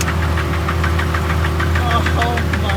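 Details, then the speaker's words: Nissan 350Z drift car with the DE engine, which died at a light after drifting: a rough idle with a steady rapid deep bottom-end knock. Rod knock is suspected and the engine is declared broken. "All right, yeah, so that's definitely broken, as you guys can hear it. So apparently it did not like the drifting at all."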